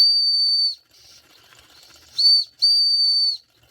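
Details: Circa-1946 electric-heated mini steam engine after repair (straightened axle, fixed flywheel wobble, replaced retaining clip), heated to near 200 degrees: sharp, clean high whistle in short blasts with quiet gaps, steady pitch; normal steam whistle.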